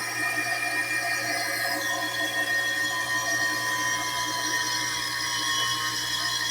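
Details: Kawamoto N3-206SH well pump running, suction not yet confirmed: constant high, thin whine riding over the steady motor hum; abnormal motor noise, cause unclear.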